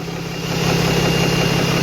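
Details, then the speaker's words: Cummins 12-valve diesel with VGT turbo and newly working exhaust brake, after a leaking push-lock hose (cut crooked) was fixed: steady, even idle clatter with smooth low rumble, no misses; exhaust heated up just from idling, so the exhaust brake helps. "that exhaust works really good look at that it's actually heated up just from idle 12 valves don't just heat up from idling so that exhaust break is definitely helpful"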